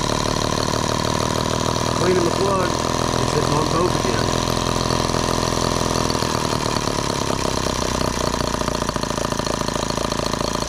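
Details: Microcosm H76 twin model engine after valve lapping and new rings, water hopper off: fast, even buzzing beat holds steady for ten seconds without dropouts or stumbles; both cylinders seem to be firing.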